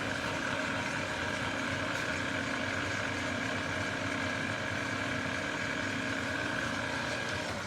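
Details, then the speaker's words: New Precision Matthews PM-1660TL lathe, first run before break-in, headstock in low range gear 4: smooth even gear hum with steady mid whine, no knocks, grinding or surging; everything sounding good, normal. "okay everything's sounding good"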